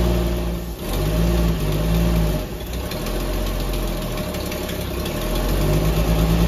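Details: 1964 Dodge Dart station wagon, 170 slant six with push-button automatic, revived after 25+ years parked outside: loud, deep, unmuffled rumble with an even beat, no rattle or knock, firing on all cylinders; normal idle.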